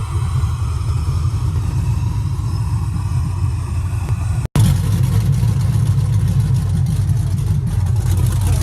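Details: Nissan 300ZX with LS V8 swap, track car, tune loaded, after closing an open vacuum line that kept the IAC from holding idle: deep steady rumble, stable idle, no hunting or stumbling, keeps running on its own; normal idle.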